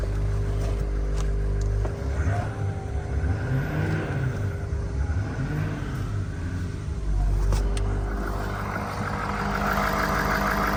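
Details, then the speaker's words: Retired 2013 Ford F450 6.7 diesel ambulance, engine and transmission replaced with new OEM parts now at 120,000 miles: deep, even idle rumble steady for about ten seconds, no knocks, ticks or misses; sounds good. "Sounds good."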